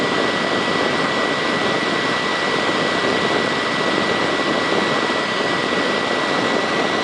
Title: Xbox 360 Makes loud Fans Noises